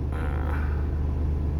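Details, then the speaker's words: Volvo FM13 Smart Eco 400 hp truck diesel, idle lowered from normal ~600 rpm via brake pedal and cruise-control buttons: deep, smooth, steady rumble around 500 rpm, bouncing up slightly; healthy low idle. "เนี่ยครับรอบอยู่ที่500อ่ะเด้งขึ้นมาหน่อยนึงอ่ะเดี๋ยวเราเอาลดลงไปสัก500ถ้วนได้มั้ไม่ได้"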